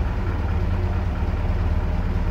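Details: GAZ-69A, first start after crankshaft replacement, with electronic ignition; low even rumble at idle with no knocks, misses or surges, running smoothly.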